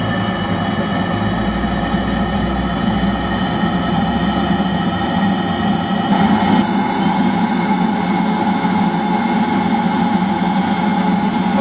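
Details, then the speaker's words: Eberspacher D5W 5 kW 12 V water heater at startup: the glow plug is on, the pump clicks, then it ignites and enters boost mode to heat the water. A steady, even blower and burner roar with no misfire. Normal running. "you may just hear the clicking now that that's come in and it's going to just ignited and it's going to run into boost mode"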